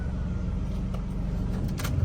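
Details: Car after fuel pump replacement for stalling and surging while driving with no codes, air-con on, no warning lights: steady, even low rumble with no misses, stumbles or knocks; normal idle.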